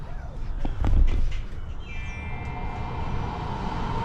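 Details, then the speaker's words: Truma Aventa Comfort roof air conditioner in a caravan, heating function at 30 degrees, fan turned up to high: steady rush, then tone steps up and holds; even running, nothing abnormal. "Turn the fan up, let's go back again, turn the fan up to high,"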